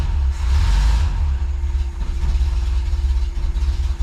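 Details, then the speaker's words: Bus with air-cooled engine, cold start after a mixture screw adjustment and a few throttle pumps: deep, slow, slightly uneven idle that sags and lopes; cold idle is low, so idle was raised a smidge. "A little low on the idle side when it's cold. So I gave it a little more on the idle, just a smidge to keep it running."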